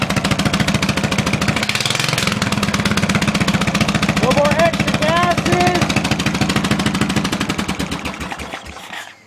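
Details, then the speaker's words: Briggs and Stratton 16hp OHV engine just after head gasket replacement: rapid, steady firing pulses at constant speed, winding down to a stop; no smoke, some oil burning off the exhaust and slight blowback, valves may need readjusting. Runs better; normal running. "Maybe a little bit of blowback. I may have to readjust the valves, but other than the fact that it's burning the oil out of the exhaust, there's no smoke at all. The engine actually appears to run a lot better."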